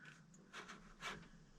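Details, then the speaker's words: 1972 Camaro small-block 350, sitting since 1995, intake and carb removed, oil in the cylinders, engine turned slowly by hand: two soft airy puffs about half a second apart. Cylinders are holding compression. "I hear compression. I hear compression in this engine."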